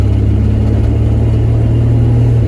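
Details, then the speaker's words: 1966 Dodge Dart GT, Slant Six 225, automatic, warmed up, light-to-moderate throttle: engine drone pulls steadily and pitch drops cleanly at each upshift, second about 15, third about 25–30 mph, no flare or slip; kickdown not working. "okay it's shifting really nice now that was I hit third about 25 with a little Moder pressure on the accelerator"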